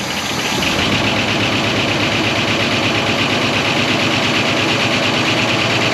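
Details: 1969 Buick Wildcat V8, barn-stored 26 years since 1998, at idle after revival: a fast, uneven tapping of about three per second rides over the idle, but it is a loose fender rattling and mimicking knock, not a bottom-end knock.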